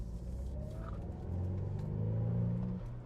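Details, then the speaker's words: BMW Z4 under full-throttle acceleration after a new spark plug was fitted and the ignition coil refitted, smooth rising drone up to about 6,000 rpm in second and 4,000 rpm in third, no stumble; misfire on hard acceleration appears fixed. "far so good. That sounds good. I'm gonna get on a bigger street so I can redline it basically."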